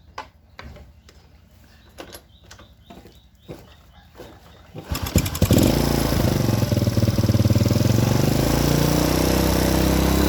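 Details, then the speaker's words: Honda Supra Grand carbureted motorcycle after reinstalling carburetor parts to cure black, fouled plugs: engine fires after handling clicks and holds steady, even beat about four per second; idle sounds smooth. "terdengar halus sekarang. Besar. Kita hanya perlu menyesuaikannya di sini."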